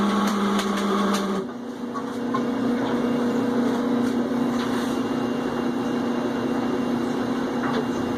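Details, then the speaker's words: Whirlpool Cabrio HE washer: loud, steady droning whine heard when the drain kicks on after the spin, not during spinning; owner suspects a bearing going bad inside the drain pump. "then the drain kicks off and that's when you hear that noise so like the last video that had to do with this thing we're gonna take care of the drain see if we figure out maybe there's a bearing that's going bad inside o"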